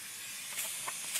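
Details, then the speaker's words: 1978 C3 Corvette with LS1 engine and fabricated Holset HX55 turbo kit, boost leak-down test with shop air at turbo intake, engine off: steady high airy hiss of escaping pressurized air; leaks found at an injector and blow-off valve. "sprayed down all intake manifold and while doing that i noticed that this injector also had a leak in it so that is potential for a boost leak"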